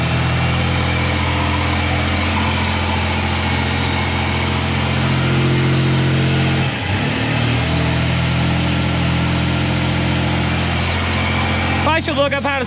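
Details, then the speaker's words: Toyota 4Runner 3.0 V6 after head gaskets, valve adjustment and timing belt, distributor moved one tooth: steady, even idle with one brief throttle blip returning cleanly; seems to fire on all six, slight smoke from exhaust residue. "but she runs sounds like it's on all six yeah it's alive"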